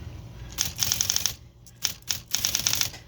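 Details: Smith Corona Electra 220 electric typewriter after repair: crisp, even typebar strikes in quick bursts over a faint low motor hum; the motor rattle, caused by a paper clip, is gone.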